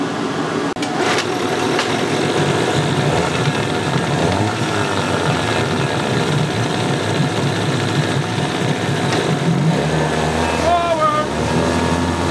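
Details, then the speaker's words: Yamaha 9.9 two-stroke outboard, salty and abused, after clearing a plugged passage and fixing the no-shift problem: steady burble with an even low note, no misses; it runs, shifts and pees, slight spitting from the carb, needs adjusting with air silencer on. "It runs, it shifts, it pees. And I've noticed, I'm getting a little spitting out of that cob and everything, but I really need to adjust it with the air silencer on."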